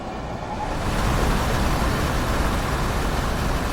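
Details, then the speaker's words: RV rooftop AC compressor that previously ran only a couple of seconds, after installing Onylraep soft start; low steady rushing hum coming up smoothly and holding; compressor running normally. "Yeah, compressor's working. It's all good."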